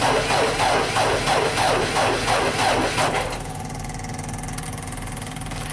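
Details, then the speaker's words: JLG Baby Scissor lift with hard starting, stalling and no platform controls: the starter drags the engine over slowly, about three labored turns a second, then quits; slow cranking even after some battery charging, cause unconfirmed. "I'll let it charge up a bit, but still cranking kind of slow."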